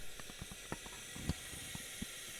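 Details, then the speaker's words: Peugeot 207cc during leak-down test after timing adjustment, listening in the sump: faint steady hiss of air with stray clicks, presumably leaking past the piston rings; reading about 28, within 10 of cylinder one. "we can hear the air there so presumably that's coming past the piston rings"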